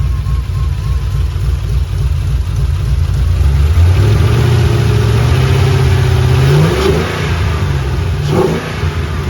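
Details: 3V Mustang GT 4.6 V8, newly installed engine with new clutch, flywheel, headers and the original Steeda underdrive pulleys, driven after install: loud deep exhaust pulling smoothly through revs, clean pitch rise and fall, no knocks; clutch smooth, normal revving and driving.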